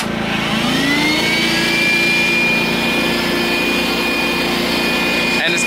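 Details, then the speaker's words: Sportsman GEN2000I 2200W inverter generator in economy mode, portable vacuum (2.6 A at 120 V) switched on: engine note climbs smoothly within a second as load comes on, then RPM drops back; healthy load response. "generator ramped up over the vacuum but as you hear the RPMs go back down"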